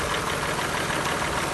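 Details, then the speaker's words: Mercedes W203, M272 2.5 L engine, 270,345 km, rebuilt about 10,000 km earlier: steady idle with fast hard tapping from the top end, appeared after water pump replacement; VANOS camshaft adjuster suspected, not confirmed. "Вот такой вот шум появился после замены помпы."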